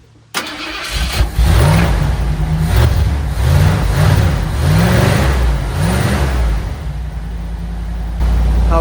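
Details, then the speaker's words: 1979 Ford Bronco with 351M V8 and carb, during a Tuff Stuff 1-wire alternator install: a few seconds of cranking, then it catches quickly and settles to a steady even idle; the battery reads 12.31 V afterward, so the alternator isn't charging yet. "She runs so well until it gets hot, and battery, fuel issues. But it fires up, baby."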